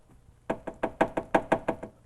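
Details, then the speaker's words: Mid-1990s Buick A/C running, rattle at right side of engine compartment, picked up by microphone: sharp hollow metallic taps about six a second as refrigerant pulses vibrate a line against body sheet metal; compressor not at fault. "the pulses of refrigerant in turn vibrate the lines and hoses we can hear the noise with this microphone retaining clips keep the vibrating lines or hoses away from the body structure check these clips a failed clip can let in line vibrate against the body sheetmetal"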